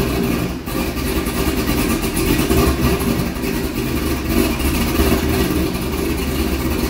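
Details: C6 Corvette V8 idling after an aggressive cam and long-tube header swap, still on the old tune: lumpy uneven idle surging and sagging, struggling to stay running, then dies. Rough idle from a tune mismatched to the new cam.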